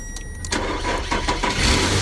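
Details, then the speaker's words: 2010–2012 Nissan Pathfinder crank no start: with the ECM relay output manually grounded at the IPDM, a brief crank, then the engine catches and settles into a steady idle. Fault: engine computer not commanding the ECM relay ground. "you see the car is start so we have a problem that the engine computer it doesn't send ground it doesn't command the the Rel output"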